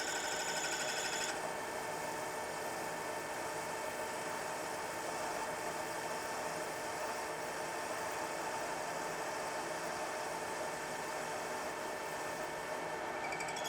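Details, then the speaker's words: Manual lathe grooving a threaded shaft, feeding the grooving tool in: a steady high-pitched ringing buzz throughout; the tool still chattering a little, blamed on a setup that isn't very rigid. "right there yeah definitely still chattering a little bit like i said not the most rigid setup in the world"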